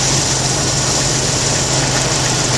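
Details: 1991 Jeep Wrangler YJ 4.0 idling during fuel pressure test, about 39–40 psi with regulator vacuum line off, pump and regulator good: even, steady idle with constant low hum and hiss, no misses, knocks or surging.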